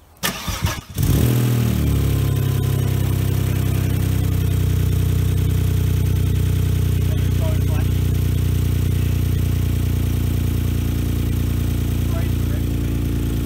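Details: 1995 Saab 900SE V6 after a service with a new water pump and timing belt, engine low on coolant: short crank catches at once, then a smooth, steady low idle with no knocks or misfires; normal idle.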